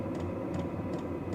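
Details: New Vevor diesel heater fully warm, outlet air around 141–155 degrees, no diesel smell: soft regular tick about every 0.4 seconds over a steady fan rumble, fuel pump dosing evenly; normal running.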